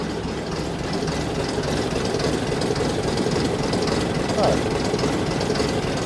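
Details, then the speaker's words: AEC Matador 7.7 litre diesel warmed after about an hour's ticking over, idle and regulator set after injection pump and injector overhaul; even clatter about two beats a second, no stumbles, much smoother than before, still slightly smoky; normal idle. "I've um set the idle to where I think it should be and the regulator and he is sounding considerably smoother than he used to."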